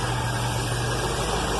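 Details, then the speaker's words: Carbureted V8 car back running after a year, with the starter rebuilt and the carb sorted; while warming it gives a smooth, steady low burble at a reasonable idle speed with no misfire or hunting. Owner plans mixture and choke adjustment. "holy smokes look at this the cars running and idling at just about a reasonable speed"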